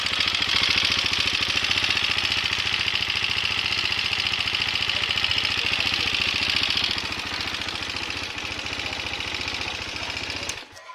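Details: Sharp, steady ticking of about three or four per second over the idle of a KTM Duke 390 engine; a mechanical fault, cause not yet found.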